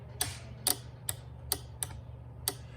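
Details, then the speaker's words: Relay board kit for drag racing, extra circuit fed a 12 volt signal such as a trans brake button: sharp irregular clicks, about six in three seconds, over a low hum; relay switching the circuit cleanly, normal operation. "So you're going to go from a 12 volt positive. You can hear that. It's turning on and off that circuit, okay?"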